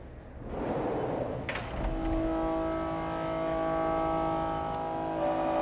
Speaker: chatter is simply when a tool or a workpiece vibrates enough to give us surface problems